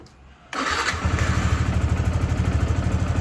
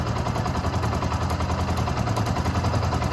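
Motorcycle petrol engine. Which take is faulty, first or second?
second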